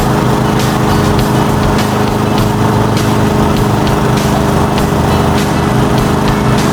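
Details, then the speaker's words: Toro Commercial mower 22155 with Honda GSV190 engine, serviced, cutting grass: steady even single-cylinder drone holds pitch under load with light grass swishes; pulls smoothly, quiet and healthy. "She's running, and she's running on home fuel. I didn't have to use any kind of starter. I didn't have to use any starter fluid, and everything's running great."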